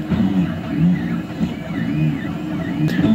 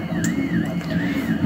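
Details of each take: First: 3D printer printing with retraction set to 2 mm, down from a suspected Cura default of about 6. Stepper motors whir and sweep in pitch with no sharp pops from the nozzle: normal printing, no filament popping. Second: 3D printer with dry filament, retraction set to 5 mm at 40 mm/s: stepper whine sweeping up and down over a low hum, with sharp pops from the nozzle sucking in air after retraction; too much retraction, fixed by reducing it to 2 mm.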